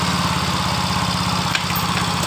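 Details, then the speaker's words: Yamaha Mio Fino that stutters when hot, normal when cold; after fuel pump priming and restart, stutter gone but idle stays high, fast even putter not settling even after adjusting idle screw; manual ECU reset via battery disconnect planned next. "Motor ini langsung normal. tapi langsamnya masih naik."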